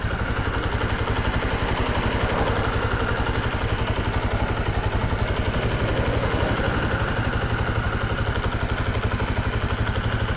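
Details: Bajaj Platina 100, about 28,800 km, after new piston rings fitted; even steady single-cylinder putter at idle, microphone near engine, no knocks or rattles. Normal idle.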